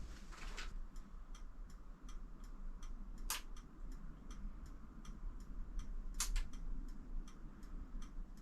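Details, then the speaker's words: MZ TS125 motorcycle after fitting 6V LED indicators and rear light, ignition on: steady light ticking about three clicks a second from the flasher relay; cause suspected, not confirmed. "H well one day maybe I'll sort of di out but uh quite like the fact it makes that noise I leave the power on man you to turn it off"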